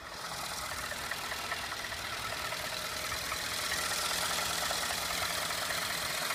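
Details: 2012 Ford F-150 5.0 V8 idling with a busy, hissy top end and a loose knock about three times a second.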